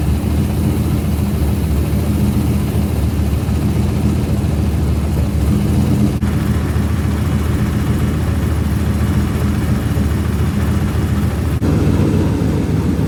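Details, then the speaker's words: Nissan 240SX with turbo LS3 V8 after installing a Texas Speed stage 3 turbo camshaft in place of the NA cam: deep, steady burble at even idle with no ticking or knocking; earlier funny noises gone. "I got the new turbo camshaft installed. Sounds good. No more funny noises."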